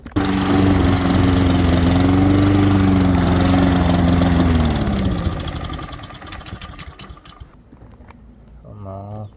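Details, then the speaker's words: Honda Izy mower: steady engine hum sags in pitch and dies to silence, stopping repeatedly while cutting; owner suspects the carburetor and finds rust blocking fuel flow. "the Honda grass cutting on the easy machine stopping sometime cutting cutting and stopping"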